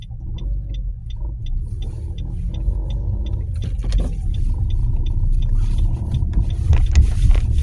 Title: nissan qashqai 1.2 rattling noise .before fixed